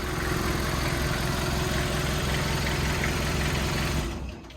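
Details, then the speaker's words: 1985 Peugeot J9 diesel van, 133,000 km, just started and warming up: steady clattering idle with a rough, uneven low beat; owner suspects a holed exhaust, not confirmed. "Bon le Pé échappement est percé je pense hein parce qu'il fait du bruit de là."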